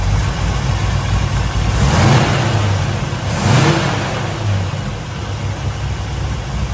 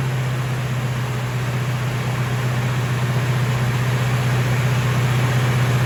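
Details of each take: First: Freshly rebuilt 454 V8 in a 1970 Chevelle, four-speed, warmed up after first start and timing: two clean quick throttle blips over deep even burble, no tapping; lifters sound decent, revving normally. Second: 1970 Chevelle restoration with a rebuilt 454 V8, first start-up during initial timing and tuning: an even, fast burble with no misses, but the idle sits far too high, so the engine runs on; high idle.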